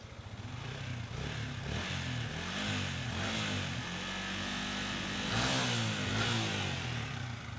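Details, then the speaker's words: Yamaha Vixion single-cylinder that would not start by electric or kick start, low compression measured about 35 versus normal 39: now catches and keeps running, even low thrum with light revs blipping and settling; runs fine. "Oke, ini mau hidup ya."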